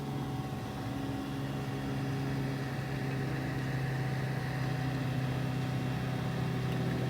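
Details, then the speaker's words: Fluke 199C ScopeMeter cooling fan after replacement/servicing (previously made a rubbing, bumping, ticking noise), run on a quiet bench supply: soft steady airflow whir with a faint constant hum, no vibration, rattle or buzzing; fan sounds healthy. "probably hear just kind of a worring sound from the air but all that vibration and other noises are completely taken care of now so that's working very well at this point"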